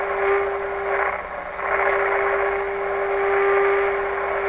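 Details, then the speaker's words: 1925 Magnavox Type D TRF radio, first time working after restoration attempts, volume turned up. The speaker gives a steady tone over light hiss with level swells. Radio receiving normally. "let's turn this right up oh that sounds like a radio"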